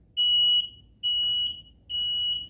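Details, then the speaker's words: Ryobi RM300E riding lawn mower converted to a 48V 30Ah LiFePO4 battery, powered up via the Anderson connector with the stock sensor port still connected: high steady half-second beeps repeating about every second, the seat safety switch warning for no operator. "So it's beeping because of the seat thing."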